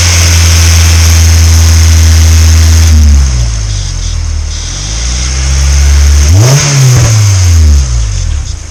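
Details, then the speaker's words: Honda S2000, F22C, over 130K miles, after timing chain service, during cooling system flush: crisp, even revs climbing and falling cleanly with throttle, no knocks or rattles; quiet and healthy, water pump not leaking, thermostat okay. "yeah it sounds real like engine it's quiet i don't think i've i think that's how it sound like when a [ __ ] car when i bought it honestly"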